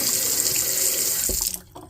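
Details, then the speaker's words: Delta single-handle faucet after replacing the RP50587 cartridge to fix leaking on shut-off: steady even hiss of water for about 1.5 s, then a clean stop with no dribble; normal flow and shut-off. "tur it off and turn it on good all right let's turn on the hot water now success"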